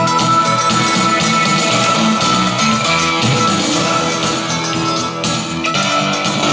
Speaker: I mean it sounds like a blown speaker but my speakers are fine I just had that hooked up to the other amplifier it didn't sound like that